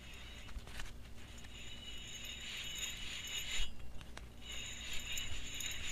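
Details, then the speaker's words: GMC Envoy/Trailblazer wheel bearing hub removed and spun by hand: gritty, rattly whir coming and going with each spin, like loose balls inside; worn bad bearing, both hubs being replaced. "it sounds like there's some bearings loose or something inside and it just doesn't sound right so I think I think we isolated that bearing as the bad one"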